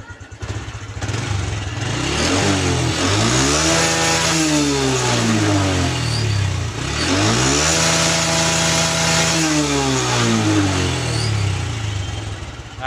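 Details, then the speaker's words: Honda Revo Absolute (Revo Fit, carbureted, non-injection) after fixing exhaust backfiring on deceleration: revs up cleanly twice and drops smoothly to idle, no popping on overrun; backfire gone. Cam chain noise noted separately. "juga udah tidak nembak ya. Knalpotnya sudah nggak nembak."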